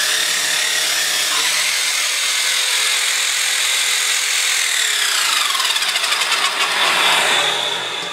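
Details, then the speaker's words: Dyson Cinetic DC54 floor tool after refurbishment: high motor whir with harsh gritty rattle worsening toward the end; owner suspects two cogs removed for cleaning were not refitted properly, cause unconfirmed. "I then it works but should have make that horrible sound the problem is basically that these two cogs I took them out to clean underneath them I don't think they've gone back in quite"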